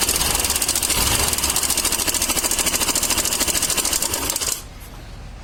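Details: Suzuki Access BS6 scooter, engine running: a fast metallic clatter at about three beats a second rides on the engine and stops when it stops, traced to a slack cam chain tensioner.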